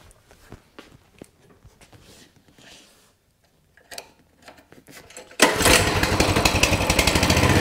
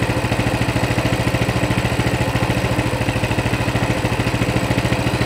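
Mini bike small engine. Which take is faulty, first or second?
first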